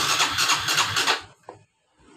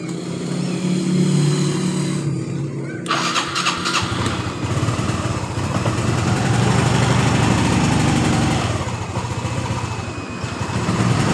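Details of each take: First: Honda Revo FI motorcycle that is hard to start cold or hot and stumbles on initial pull, with no fault codes. Starter churns in quick pulses but the engine does not catch; fuel pressure is suspected to be obstructed. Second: Honda Revo FI motorcycle that was hard to start hot or cold and sputtered, after fuel pressure was restored from zero to 42 psi: engine catches right away and settles into a steady, even idle.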